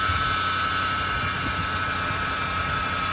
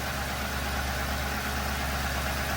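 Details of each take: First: 2007 Ford Crown Victoria idling: loud steady high-pitched whine over the engine at constant pitch, worse when accelerating; caused by a bad bearing in the belt tensioner pulley. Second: 2007 Ford Crown Victoria after replacing the tensioner pulley, whose bad bearing whined loudly on acceleration: before-and-after comparison, now a smooth, even idle with a steady low hum and no belt-area whine; normal idle.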